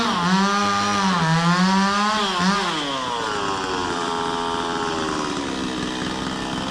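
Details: Stihl 026 two-stroke chainsaw: pitch wavers and dips as throttle is blipped, then settles to a steady buzz; hesitates when first opened and idles down slowly; owner questions the tune, cause unknown.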